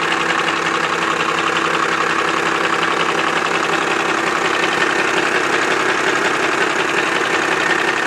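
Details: Cummins 12-valve diesel at idle: loud steady clatter with close to three knocks a second; owner suspects the injection pump, source unconfirmed.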